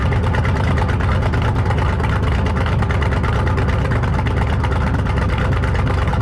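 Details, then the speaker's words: 1968 Thunderbird 429 big-block Ford V8 idling after a carb rebuild: loud, lumpy rumble holding a steady, even beat with no knocking or stumbling; running well, owner thinks he hears a slight vacuum leak of unknown source. "well it seems to be running pretty good actually I think I hear a little bit of a vacuum leak but I'm not really sure where it's coming from"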